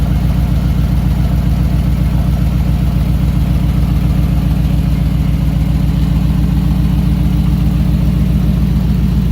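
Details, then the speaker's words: 1968 Ford Bronco V8 idling after the engine was oiled and its oil system tested: a deep, steady burble with no misses, knocks or ticks. The engine is running normally for the first time. "this is the first time in the history of ever having this thing that the engine is doing engine things that are wanted and expected and within all normal parameters"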